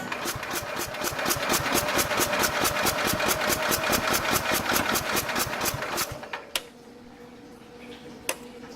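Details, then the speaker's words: 1969 Bolens 850 tractor, Wisconsin S8D engine unused over three years, rusty plug, original Zenith carb: warm engine just run cranks evenly at a bit over two beats a second for six seconds without firing; hard starting when warm, fault still undiagnosed. "See, it's having a hell of a time starting again. It shouldn't have that much of a problem starting after it just ran."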